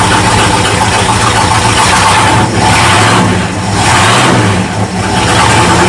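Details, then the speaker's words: 1979 Ford Dentside truck V8 on new carburetor, not yet warmed up: idle sags and stumbles, blips recover slowly; running rich, owner thinks float set too high choking it at idle; charging also not working. "I think the float set too high again just choking it out at idle we'll have to tweak that some yeah it's getting too much fuel again"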